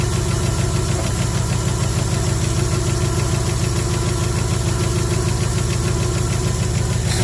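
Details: 1974 Ford F100 V8 parked 21 years, first runs with several vacuum leaks: deep, uneven idle with a regular stumble about three times a second, described as running on seven cylinders. Misfire, one dead cylinder.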